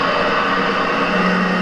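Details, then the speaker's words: 75-year-old Sheldon metal lathe (4-speed belt drive, 2-speed gearbox, 40–3,000 rpm) running: steady low hum with a higher ring, a slight motor bearing hum that goes away after running a moment. "Sounds good. It's got a little bit of a bearing hum from the motor, so I'll have to see what happens with that. It goes away after running for a second,"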